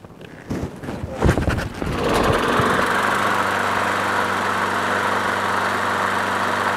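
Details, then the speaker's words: Craftsman push mower with swapped-in Briggs & Stratton Quantum engine, sat overnight after winter storage: primed four or five times, a few pulls of clatter, then starts first pull into a smooth, steady single-cylinder idle with no misses; normal cold start and idle. "then it works as you saw cold start priming bit four or five times started on the first pool"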